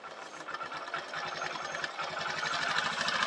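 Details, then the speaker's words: Motorbike with a morning starting problem, now starting on the self-start button alone where it previously needed throttle and then stalled; steady single-cylinder putter, three to four beats a second, rising slightly as the idle RPM screw is turned up; healthy idle. "हमने सिर्फ self की button को दबाया और bike अभी बिल्कुल start है"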